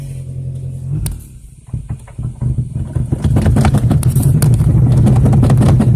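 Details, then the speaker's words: 2002 Toyota Corolla LE, four-speed automatic, bad motor, 112,000 on the odometer, check engine light flashing, battery light on: uneven rumble stumbling and surging as it revs; rough running. "yeah sounds like a bag of crap"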